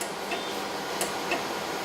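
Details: Acquity lab system, seal wash pump during priming as fluid reaches the pump: light, sharp ticks a few times over two seconds in a quiet room; normal priming clicks.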